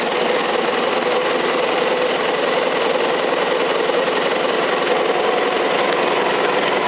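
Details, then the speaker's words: Isuzu 4BD1-T turbo diesel, first start after a home rebuild, with no cooling water hooked up, destined for a Land Cruiser FJ60: steady, even clatter at fast idle with no misses or knocks; running like a champ. "seems to be running good [Music] all right don't want to run her too long cuz I don't have it hooked up to water but uh seems to be running like a champ"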